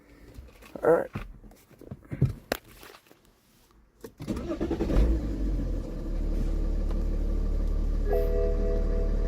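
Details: BMW 335d diesel with RPM fluctuating up and down at start-up, heard with the bonnet open: starts after handling noise, then a very loud, heavy, even clatter seeming to come from everywhere; cause not identified.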